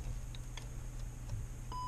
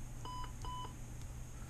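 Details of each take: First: TST01 touch screen tester connected by USB to a PC with speakers: two clean short high beeps over a quiet room hum, one per touch; the touch screen is registering properly. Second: TST01 touch screen tester on a heavily used resistive touch screen: short steady beeps come in pairs only now and then as the worn edge is pressed hard; the resistive layer is worn.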